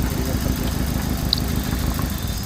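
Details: 2012 Hyundai Accent with CNG fitting: uneven, lumpy stumbling idle from a cylinder three misfire; the ignition coil on cylinder three is burnt and to be replaced.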